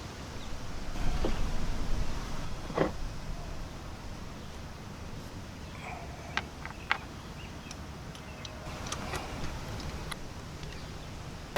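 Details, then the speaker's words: 2000–2006 Chevy Suburban after a P0300 misfire traced to a bad coil (misfire moved with it) and a Mitsubishi-style coil fitted: low, even idle rumble with no stumble, a few light background clicks; no codes, normal idle. "all right no codes smooth engine hopefully we dodged a bullet on this one easy repair"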